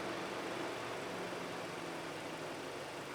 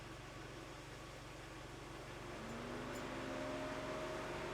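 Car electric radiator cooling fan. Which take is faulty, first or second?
second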